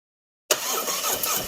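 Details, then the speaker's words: 2017 Harley-Davidson Ultra Limited 107 V-twin, first start after a Thundermax EFI install and fuel pump work: catches abruptly and runs with an uneven, unsettled beat while clearing air from the purged fuel line before leveling out. "This one also had some fuel pump work done on it, so it had to clear out the fuel line, had to purge the line."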